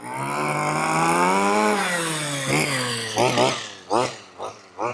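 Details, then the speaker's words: 1/5-scale petrol two-stroke RC buggy (four-wheel drive) warming up at quarter throttle after the low-end needle was richened because it was too lean to run; high buzzy note, then crisp blips, running cleanly and evenly. "Sounds lovely, doesn't it? Oh, that sounds gorgeous. I love these little buggies."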